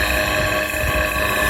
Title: Sound of bad motor bearing.